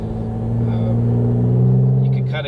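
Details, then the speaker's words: Pontiac G8 with Mace cold air intake, stock exhaust, driving under acceleration: low engine drone with steady intake hum winding up in pitch as revs climb; normal induction noise. "Man, I love this G8. I don't even have the exhaust done yet, but I do have a nice Mace cold air intake on this car."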